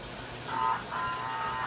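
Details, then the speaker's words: American Flyer 326 small-motor NYC Hudson steam locomotive after mechanical and electrical repair, Air Chime whistle in tender; two clear whistle blasts over quiet running hum at half speed, engine barely slowing; healthy whistle actuator. "But also note that even at half speed, the engine doesn't slow a lot when the Air Chime whistle gets activated. It slows a little bit, but not terribly noticeably."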